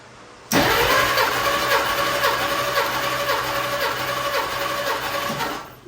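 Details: 1952 Dodge Wayfarer cranking during a compression test: smooth, even cranking at nearly four beats a second with no uneven or lazy strokes; readings about 140–150 psi, consistent, healthy balanced compression.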